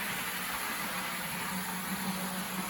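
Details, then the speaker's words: Bowser DC71 motor fitted to an HO scale PRR M1 4-8-2 steam locomotive kit, at full speed on the track: smooth, even high-pitched whir with no catches, slightly slower than the original motor. Normal running. "very similar to what it was with the original motor but just a little slower i think that'll be a good scale speed for the m1 here"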